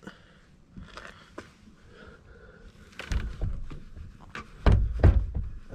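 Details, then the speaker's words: 1999 Jeep Cherokee XJ driver door, sagging and starting to have trouble closing: several loose, heavy clunks in uneven bursts as the door is lifted and dropped, because the whole door moves on worn hinge pins. "As you will be able to, you probably won't be able to see it, but you'll be able to hear it. The whole door moves."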